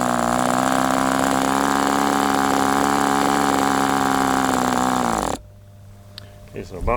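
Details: Sport 40 model airplane glow engine during break-in run: steady high-pitched scream that stays around 4,000 rpm and won't settle lower before cutting out; owner suspects the air bleed screw is not set.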